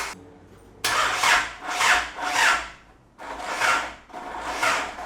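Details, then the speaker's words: Isuzu 4JJ1 diesel in a Nissan Patrol, first crank with the fuel pump fuse pulled: starter drags the engine in slow, weakening surges; slow cranking, with a weak battery, a faulty hot starter or a locked transmission suspected. "it wasn't cranking very fast then so I'll try and uh put the jump pack on it hopefully that was the battery and it's not something sinister like the transmission being locked"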